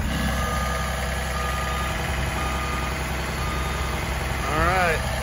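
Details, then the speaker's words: 2004 Blue Bird SC2000 transit bus, diesel, long-sitting, warming up after first start: low steady idle clatter, no stumbles or knocks, brief chirp near end; normal idle. "But now that she's running and appears to be running pretty good, I'm excited."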